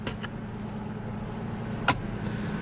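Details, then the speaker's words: Nissan Skyline R33 GTS-T Type M, 67,000 original kilometres: steady, even low idle with no knocks, misses or ticks and one brief click; clean, healthy cold-start idle. "67 000 original kilometers listen to that thing this is so good"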